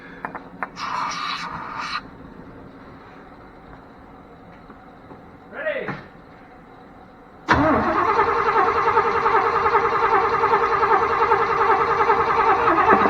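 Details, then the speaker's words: 1992 Chevrolet truck that sat 10-15 years, reportedly parked for a bad battery, cranking with starter fluid: starter spins the engine at an even, steady rate for several seconds but never fires; crank no start, no spark suspected. "You got no spark. Huh? I'll bet you got no spark."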